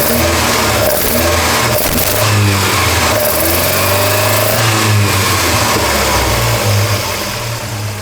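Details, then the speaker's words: Volvo 240 after fixing a twisted rod and fitting twin Dellorto 45 carburettors, microphone at the carbs: a deep, throaty intake roar swells and falls cleanly with each throttle blip, with no stumble or spit; normal, balanced carburettor intake sound. "What a noise. Lovely. What a noise."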